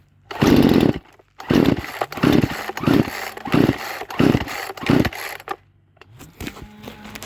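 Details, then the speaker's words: Poulan Pro chainsaw with choke, after lowering the high and raising the low carburetor adjustment: catches in short bursts about six pulls, firing briefly then dying, nearly staying running; owner suspects debris in fuel clogging filter and carburetor. "oh did you guys hear that she nearly stayed running at first"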